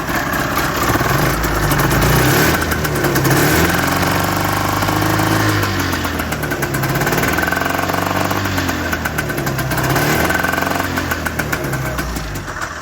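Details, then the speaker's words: Two-stroke Tornado snowmobile engine, just rebuilt with a new top end and one reused piston: revving up and down on slow throttle brings an uneven knock, like something impacting something; cause unknown, owner worried it may be critical. "When I give it throttle, it makes a weird, like, something's impacting something."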